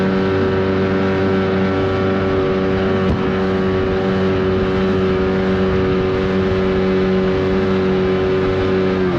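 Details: 1979 Evinrude 35hp outboard on the water after adjustments, with the air box left off for the run. A steady, buzzy note holds one pitch with no stumbling or misfire; pulling cleanly at speed.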